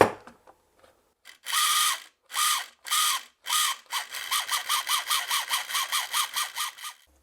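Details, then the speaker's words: 1980s Morgan TR2 talking robot toy on 3 V from fresh batteries, after contact spray on the old switch: whirring bursts, then steady gear chatter at about four pulses a second as the wheel drive motor and gearbox run normally. "So what it will do when I turn it on is it will start driving the motor for the wheels on the bottom. And as soon as you press this button, it will start playing one of the samples on the disc and stop this motor."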